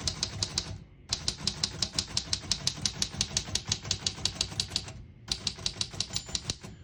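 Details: 1935 Royal O Model portable manual typewriter, margins set 0 to about 75: crisp even keystrokes around three per second in short runs with brief pauses. Mechanism working normally.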